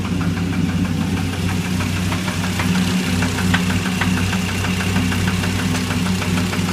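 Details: Dodge SRT10 V10 at idle: a sharp metallic knock rides on every few firing pulses, clear over the exhaust note; engine knock of unknown source.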